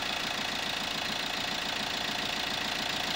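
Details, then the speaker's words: Vauxhall Corsa D diesel, low mileage (about 40k), automatic running lights on: even, steady idle with light tinny clatter about three times a second, no misses; owner feels it sounds nowhere near as nice as the other car; normal diesel idle. "just nowhere near I don't think as nice as that you have a little listen to it and this has only got not many miles"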